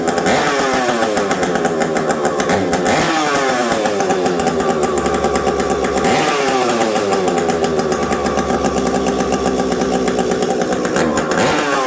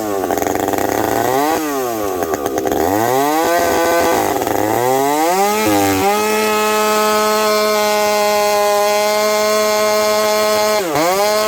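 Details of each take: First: Stock Husqvarna 372XP chainsaw with a UFO muffler, run in very cold weather: screaming revs climb and drop with a brief hesitation on one pull-up. The low jet is set a little low, causing a stumble not caused by the pipe. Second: Husqvarna 372XP chainsaw fitted with a new bolt-on UFO pipe, warmed up at about -30 to -40 °C, cutting frozen ash: revs up, steady high cutting drone with slight four-stroke burble under load; healthy, touch rich, high jet already leaned a smidge.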